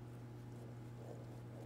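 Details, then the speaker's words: Horizontal boring mill oil-filled gearbox, grease or thickened oil inside, shafts turned slowly by hand: faint irregular light ticks over low hum, suspected loose key; shafts smooth, bearings thought good. "both the shafts turn they're like silky smooth it's just the loose key in there that you can hear ticking"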